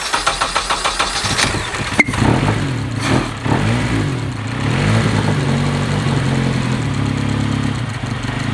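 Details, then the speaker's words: Honda KRZ after a leak fix and resetting the timing to top dead center: brief even cranking, catches after about 1.5 s, then a smooth, steady idle with no misses. "as you can hear see Idols now which is great part of that was making sure we set the timing over there"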